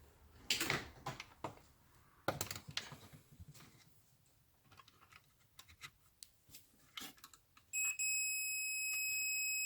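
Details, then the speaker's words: Industrial welding turntable that keeps tripping the breaker: after a few handling clicks, the continuity meter gives a steady, unbroken high beep across live and neutral, confirming a dead short on the control board, which is to be removed. "so that's a lot of neutral inputs to the board and you can hear that's a dead short so i'm going to whip this board out"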